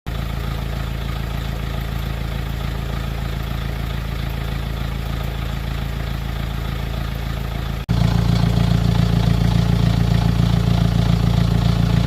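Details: BMW X3 after timing chain replacement at 216,000 km that fixed a rattle: steady, even idle with a smooth low hum and no rattle or tapping. Normal idle.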